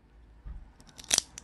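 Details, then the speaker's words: Carbon fibre bicycle seatpost squeezed with pliers, like a steel band-type saddlebag clamp: sharp crackles and snaps as inner fibres break; aluminium post barely deforms by comparison. "이렇게 잡아서 한번 꽉 눌러 볼게요. 아주 경쾌한 소리가 나죠. 타면서 이런 소리 나면 소름 끼치겠죠."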